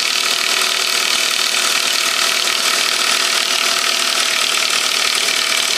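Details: 1998 Saab 9-5 2.0 low-pressure turbo, overnight cold start: engine runs with a constant dry, fast ratcheting clatter well above the engine note; cause undetermined.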